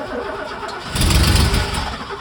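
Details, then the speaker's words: Mercedes W123 coupe six-cylinder, long-abandoned, cranking with cleaned donor-car injectors and brake cleaner sprayed in; owner expected it to run on only two cylinders and feared he'd botched it; briefly catches with a rough burst then sags, no clean start, cause unconfirmed. "brilliant I mean that was somewhat successful don't you think"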